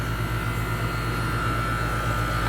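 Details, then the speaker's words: 1998 4-ton 10 SEER R-22 outdoor AC unit: compressor kicks on with steady low hum, even pulse and thin constant tone, no knocks or rattles; compressor running normally, low side around 76-77 psi. "Yeah, you can hear that compressor. It's loading up right now with refrigerant."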